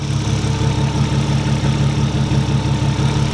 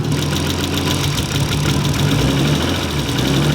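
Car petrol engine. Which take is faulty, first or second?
second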